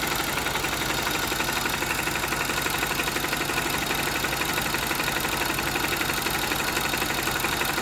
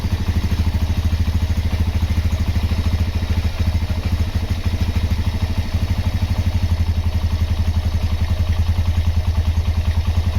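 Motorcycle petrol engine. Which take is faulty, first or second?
first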